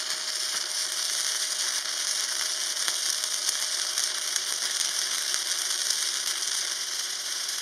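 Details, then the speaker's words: Parkside PMSG 200A2 welder, flux-core wire on 8 mm sheet in two passes with the supplied 1 mm cored wire, polarity left reversed: steady crackling, spitting hiss of the wire-feed arc; result acceptable. "सही परिणाम लेकिन सही ध्रुवता के साथ बेहतर होता।"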